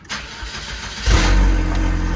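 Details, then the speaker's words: Saab 9-3 after a fuel pump upgrade and fuel gauge fix, very low on fuel, needing cranking to rebuild fuel-rail pressure. A short crank, then it catches within a second into a loud, steady, deep idle: a clean, healthy start. "Oh, there she goes. Obviously very loud. Oh yeah, sounds like a tractor."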